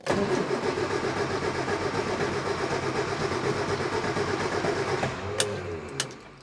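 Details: Morris Minor after engine swap, first start attempt with choke out: steady cranking chug about two to three beats a second for five seconds, no catch, then winds down; no-start, started on second try.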